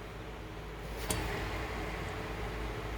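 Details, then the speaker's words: Hand-spun rear hub bearing on the driver side of a front-wheel-drive 2007 Buick Lucerne CXL V6 with 150K miles turns almost silently, soft low hush and one brief click. It is the good side, compared against the noisy passenger-side bearing causing a trunk-area rumble. "no noise very quiet obviously that first one was very noisy and i'd like to replace it"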